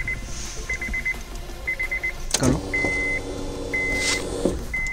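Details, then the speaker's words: Honda City after fuel pump replacement, ignition switched on to prime the system before starting; short steady hum of about two seconds over dash chimes; normal fuel pump priming. "ये जो आवाज़ आपको आई है ये fuel pump की होती है, एक दफ़ा दोबारा"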